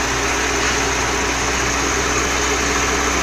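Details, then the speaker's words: 4-cylinder Dodge Dakota with Holley two-barrel carburetor, electric fuel pump, low-speed circuit fault, port covered: idle becomes even and faster, no misses; normal idle, fuel level very low. "escucharon cómo está parejo y más acelerado"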